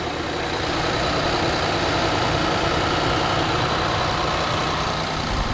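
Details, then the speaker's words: 2020 Infiniti QX60 3.5 L, previously misfiring on cylinder 2 (P0302) from a bad fuel injector that a dealer blamed on a sludged engine, idling after repair while warming up; even quiet hum with no stumble, normal idle. "let it warm up a little bit let it idle down and uh let see what we've got everything sounds good I don't see no leaks anywhere no fuel"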